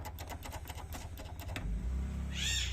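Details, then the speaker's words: Honda Titan 160 motorcycle camshaft, removed and clamped in a cage and turned by hand with its old bearing. A dry, gritty ticking on each turn, then a thin squeak as it drags. Worn, rough camshaft bearing to be replaced. Engine had clicked when cold, then grew louder. "A galerinha, consegui colocar ele lá novamente lá na gaiola, ó o barulho, ó. Imagina isso aqui ligado a 1000 RPM,"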